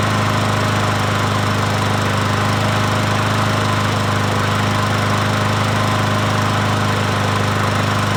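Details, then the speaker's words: Troy-Bilt push mower, 550EX single-cylinder engine, after a cylinder head swap for a stripped spark plug hole and a valve cover leak fix. Steady, even beat with no misses or knocks over eight seconds; runs smoothly. "But anyway, we'll start it up."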